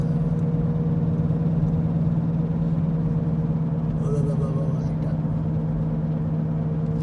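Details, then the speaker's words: 2014 Ford Escape on the highway, noise from the front driver-side wheel at about 80 km/h and up: steady low drone over road rumble; mechanic says front wheel bearing, repair thought to be over 300 for labor and materials. "yeah it's a very disturbing sound but you don't know what's in there until your your mechanic will tell you"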